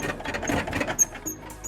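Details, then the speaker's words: ZAZ Slavuta 1.3 injection driving with rear passengers: short, high-pitched squeaks and chirps irregularly from the rear seat, not the springs. "Как только пассажиры садились на задние сиденья, я начинал ехать, и машина скрипела."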